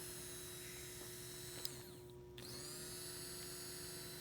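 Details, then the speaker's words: 2001 Toyota Sequoia fuel pump at 217,000 miles, wired straight to direct power for testing. A thin, steady whine sags and cuts out for a moment before spooling back up. The pump works intermittently, and a bad connection is suspected. "well it's working now but it wasn't working we actually ran the cable there and it didn't work oh it's dying that's a bad connection"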